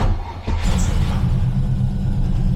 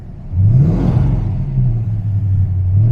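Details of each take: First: TVR Griffith 500 V8 after fixing a bad coil wire connection, fresh fuel, before warm-up: catches instantly and settles into a deep, steady burble with no misfire or stumble. Normal start and idle, running on all cylinders. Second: TVR Griffith 500 V8, warmed up on fresh fuel with injector cleaner, idling in neutral: deep, lumpy, uneven beat with an occasional dropped firing stroke. One cylinder misfiring intermittently at idle; new ignition components to be fitted.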